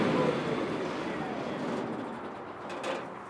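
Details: Onan generator wired to a three-phase panel, measuring about 210 volts across one leg: constant-speed engine drone holding steady with no misses, surging or knocks. Normal running.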